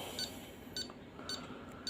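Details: Nellcor N-65 pulse oximeter after its defective on/off switch was replaced with a micro switch: short high beeps about every half second in a quiet room, pulse reading 105 with SpO2 99%; unit working normally.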